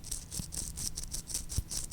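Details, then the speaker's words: D-bit grinder spindle rebuild: old front arbor bearing, spun by hand near the microphone, gives a gritty rasping rattle in bursts about four or five a second; badly worn, heat-discoloured, the worst bearing ever encountered. "the one in the front holy cow that thing is trashed that is actually the worst bearing I have ever encountered I'll hold this guy up to the microphone"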